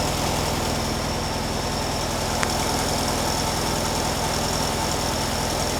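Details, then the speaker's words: 1957 VW Beetle air-cooled engine warming up on choke while waiting for the automatic choke element to heat and open; steady, even idle with soft rapid patter, no misses or knocks, sounds fine. "I'm just going to let it warm up. Well, not so much the engine, but let the choke warm up and see what it's at. Right now, it sounds fine."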